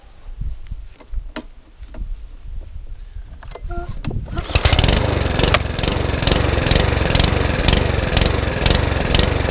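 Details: Mountfield HP164 lawnmower that keeps cutting out: after a few pulls it catches and surges in a repeating rise and fall about twice a second; hunting, with a carburettor problem suspected, which is then ultrasonically cleaned.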